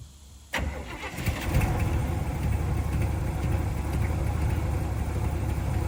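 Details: 1985 Chevrolet K20 4x4, 350 V8 with headers and possibly a mild cam, first start after sitting 10+ years: short crank, then catches into a deep, slightly uneven idle; 46 lb oil pressure, alternator belt squeal, coolant leak at top hose.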